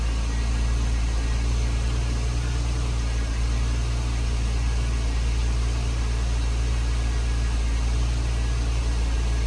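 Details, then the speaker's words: Porsche Panamera 970 (2010-16, 3.6/4.8) just after high-pressure fuel pump replacement, 90 PSI fuel pressure, first start: smooth steady raised cold idle, no stumble or tapping, expected to drop once warm; normal cold fast idle. "idling up right now until it warms up. It'll push some air past everything. I'd imagine it'll come back down."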